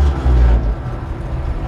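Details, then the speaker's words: 1951 Ford F1 V8 at idle, good oil pressure: low smooth burble at steady idle with no ticking or knocking; healthy. "oil pressure on the trucks real good"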